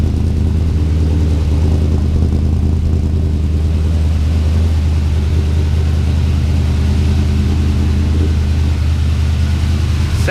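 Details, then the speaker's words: Twin-turbo LS V8 (budget build) at idle, first start with new heat-wrapped exhaust, fuel pressure lowered from about 60 to about 50 psi while chasing a hot-start issue: deep, steady, even rumble, no misses, knocks or ticks; normal idle. "Okay, yep, let's fire it up and see what's going on. So much quieter in here."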